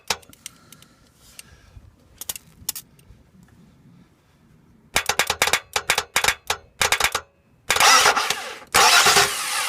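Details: 2015 Ram EcoDiesel with 124 miles on a 9°F morning, second no-start: fast bursts of dry clicks as the starter solenoid terminal is jumpered repeatedly, no cranking, until the starter finally spins and the diesel fires; sticking starter solenoid.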